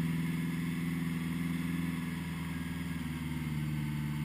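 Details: 1980 Honda GL1100, slightly cold start at 54 degrees after a rebuild with carbs synchronized: steady, even idle with a smooth low pulse, no misses or stumbles; normal cold idle.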